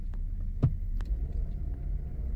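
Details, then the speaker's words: 2015 GMC Yukon that stalls after its swapped oxygen sensors were reconnected correctly: a low idle rumble, then a sharp heavy bang as the gear engages followed by a quieter knock. Harsh transmission engagement clunk. "ver que que de el cambio se sienta ahí el donde entra el cambio Mira pum da el Trancazo Ah eso es lo que no me gusta"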